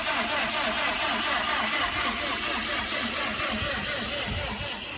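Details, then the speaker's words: Subaru STi project engine before its first start, fuel pump and crank sensor disconnected, gauge showing zero oil pressure: steady, even starter cranking with no firing, spun over to build oil pressure. "You're gonna smoke the battery. So what we're doing right now is no different if the fuel pump and the crank sensor was connected."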